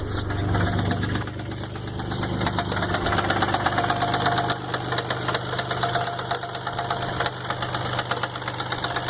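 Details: 1999 Isuzu engine at idle: a steady, evenly spaced deep knock about three times a second. Owner says either the main or the rod bearings are shot.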